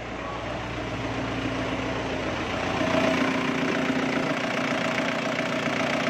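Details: Isuzu Crosswind diesel after replacing the oil pressure sender because the oil warning light stayed on while running; light now goes out; steady, even diesel clatter at idle with no misses or knocks; smooth healthy idle.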